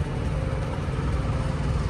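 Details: Truck APU diesel with no DEF system: steady low, heavy drone with a slightly lumpy, uneven beat, running rough and choked up; cause not yet known.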